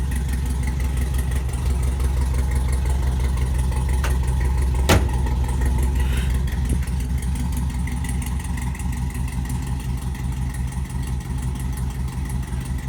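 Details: LS-swapped C10 with 5.3 V8 and Brian Tooley Racing no-springs-required cam freshly installed, first start before tune: deep lumpy idle with choppy rhythm about three pulses a second, running cleanly; normal cammed idle.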